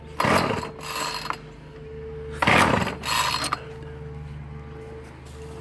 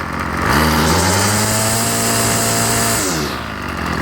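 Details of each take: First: Ryobi 705R 30cc two-stroke petrol strimmer after fuel hose replacement, being pull-started: two ratcheting pull-cord bursts, the engine only coughs and never catches; no start, suspected flooded (it later started). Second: Ryobi 705R 30cc two-stroke strimmer after fuel hose replacement, restarted after flooding: picks up cleanly from idle to a steady high buzz and back, normal throttle response; only a slight stutter, may need a richer idle.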